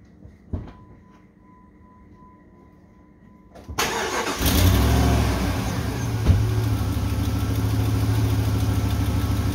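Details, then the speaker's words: Rebuilt Holden 4.2 L 253 V8 in a cradle after sitting 25 years, timing set at 6°: starter spins the engine in an even rhythm but it never fires; cranks but no start, carburettor starved of fuel, pump not drawing. "sounds like I want the fire but um sounds like I don't have any fuel up here that pump should have suck it up there really quickly I have no fuel down there"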